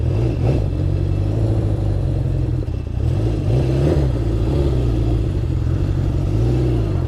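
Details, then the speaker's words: Honda CB750 after carb rebuild and sync, on a test ride: lumpy, uneven beat with no smooth four-cylinder note, sounds down a cylinder; misfire traced to faulty kill switch contacts. "Kind of sounds like it's down a cylinder right now, which is weird. Yeah, it's not happy."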